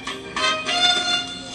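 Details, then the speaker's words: Vintage solid-state Magnavox console record player, no model number, playing a record at full volume: the music is thin and tinny with no bass at all, caused by an open capacitor. "Geez, that sure seems that's the volume wide open. So the bass is doing absolutely nothing."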